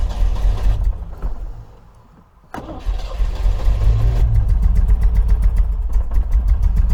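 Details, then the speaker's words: 1980 MGB engine after oil, filter and plug change and tappet adjustment, running on very stale fuel; slow, uneven cranking with a lopsided beat, one cylinder still low on compression. "still uh still low on compression there you can hear that"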